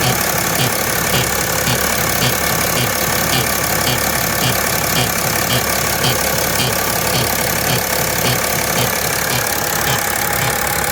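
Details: 2010 BMW E70 X5: light, fairly regular ticking of about two per second over a steady idle, a top-end tick whose source is not yet pinned down and whose cause is unconfirmed. Ticking noise at idle.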